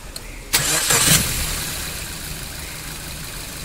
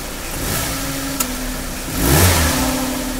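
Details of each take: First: Maruti Suzuki Baleno, AC belt removed to chase a humming noise heard when revving or pulling away in gear: engine starts and idles smoothly with no hum, so the AC compressor is suspected as the noise source. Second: Maruti Suzuki Baleno engine compartment: steady low hum rising in pitch when revved or pulling away in gear, like a failed bearing; belts to be removed one by one to check AC compressor, alternator, water pump. Cause suspected, not confirmed.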